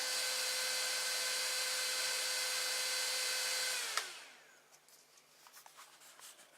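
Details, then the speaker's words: Loud, steady fan whoosh with a mid-pitched hum, then winding down and stopping: the AMD CPU heatsink fan cooling a 24 V to 12 V buck converter in a 3D printer is too noisy, due for replacement with a Silent 8 80mm fan. "so basically the problem now is the noise so I'm going to plug this in and you can hear the it's a CPU fan under here that is making the noise"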